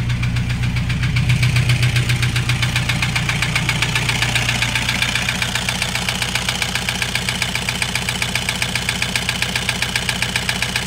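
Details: Toyota Hiace 2KD diesel, overhauled about five months earlier, started knocking loudly while driving; injectors tested fine. Loud, sharp, regular knock at idle, about two and a half per second, over the diesel clatter: piston slap from a scored liner.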